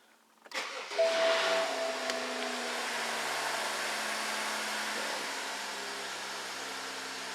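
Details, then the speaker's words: Another car with the same adjustment-fault code present: quick crank, catches at once and settles into a smooth, steady idle; healthy start despite the fault. "even with that fault this one starts and runs"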